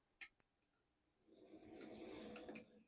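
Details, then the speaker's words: HO scale Athearn Bluebox Burlington Route GP35, brief test run after the seizing issue was fixed and before teardown and cleaning. A soft, even motor whir with no grinding runs fine forwards and backwards, much quieter than before. "Seems good forwards and it seems good backwards. That's also a lot quieter, but it can still be better once I give it a good tear down and clean up."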